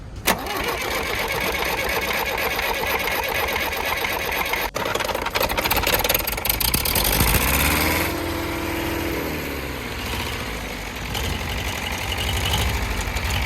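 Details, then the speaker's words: Perkins 4.248 diesel just after starting, oil pressure normal at 3 atm idle and 4 atm revved; lumpy, uneven beat with stumbling, wavering revs — misfiring, injector nozzle suspected, or low compression in a cylinder. "але є проблемка з двигуном Він працює не чисто А підтроює може бути щонайменша причина це пітроє форсунка розпилювач підлягає заміні"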